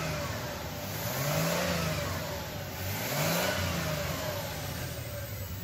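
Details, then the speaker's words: 2000 Toyota 4Runner with failed fuel pump/injectors running on a fuel-vapor system, mass airflow sensor not reading: revs up and down twice with uneven, lumpy beat at the top; misfire. "now that is completely running off of just this here now it does have a misfire in it"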